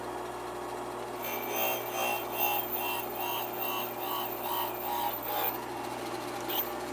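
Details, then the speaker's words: Rhythmic pulsing grind, about twice a second, as a valve spins against the grinding stone; the finish is shiny on one side and untouched on the other, showing uneven contact from a bent valve. "you could hear that pulsing sound as you grounded that's right"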